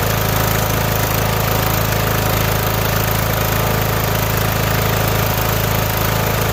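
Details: Mower: a steady, even engine note with a smooth low thrum, no misses or surging, running cleanly on its own gas tank.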